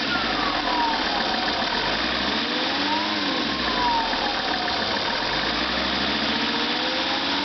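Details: Lancia Thesis 2.4 JTD diesel, warm after about 30 minutes and 25 km of driving: idling with a thin whine wavering in pitch over the engine hiss; source unknown.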